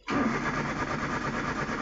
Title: #Car no start#no #spark #plug #current, অনেক সেল্ফ মারার পরেও গাড়ি স্টার্ট হচ্ছে না